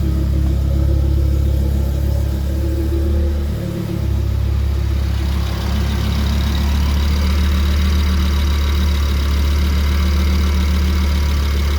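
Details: Audi RS3 DAZA engine after rebuild, started after fitting an ethanol sensor to check for leaks, oil about 71°: a deep, steady idle with an even low beat and no knocks, ticks or hunting; normal idle.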